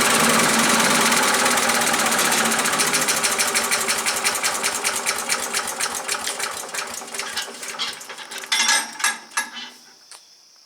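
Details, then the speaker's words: Earthquake chipper/shredder, small single-cylinder engine, first start, choke on: quick, even popping runs steady, then slows and dies away; sounds healthy, runs pretty good. "well it sounds like it runs pretty good I would say we go out in the yard and throw some limbs in it and see if it's going to chop anything up"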